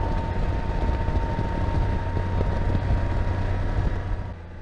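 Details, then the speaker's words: 2021 Can-Am Spyder F3T, 169 miles, riding after drive belt alignment: steady droning hum with thin constant whine over road noise, loudest at 48–51 mph; speed-dependent drive hum, new in the last few miles, source unknown, going to dealer. "hear that noise 48, 49, 50 gets really loud 51 something is not right"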